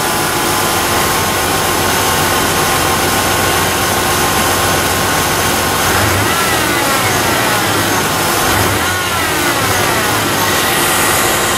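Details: Second Cardone remanufactured power steering pump, noisy right out of the box (the first lasted a month before whining): a loud idle with a persistent high whine whose pitch lifts with small revs. Suspected bad bearings; a used salvage-yard pump later worked perfectly.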